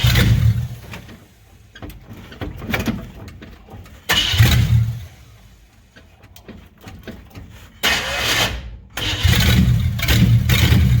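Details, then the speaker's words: 1957 Chevy hardtop (LT1 Roadmaster conversion project); repeated cranking bursts catch and stumble, never settling into an even idle — rough running, possibly late timing. "all right we'll try that again I had to put a little timing into it see if she runs a little better"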